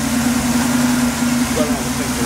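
Steady, even hum at idle with no knocks, misses or ticks over it; the engine is running smoothly.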